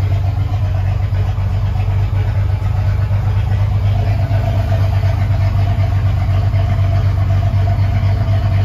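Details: Ford 300 inline six, first fire-up with newly finished turbo header, exhaust cutouts open: deep, steady exhaust rumble with an even beat, no misses or knocks; normal idle.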